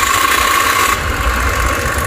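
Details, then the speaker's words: Honda Spacy 110 scooter at first start after a cylinder block replacement. The single-cylinder idle is steady and smooth with no knocks; a slight noise from the new block is expected to fade with use. Normal idle. "Bu motorun bloğu falan yeni olduğu için ufak bir ses geliyor ilk çalıştırma aşamasında. O da kullandıkça kesecektir."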